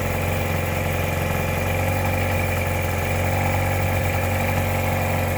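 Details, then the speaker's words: 1957/58 Mercury Mark 10 outboard that sat 45 years, warming after a screw was backed out half a turn; pumping water, high speed still to be adjusted. Low uneven idle with irregular spits and stumbles. Rough, sputtering idle. "You see here too, it's pumping pretty good water. Kind of spitting and sputtering some, but hopefully once I get that high speed adjusted, it'll be better."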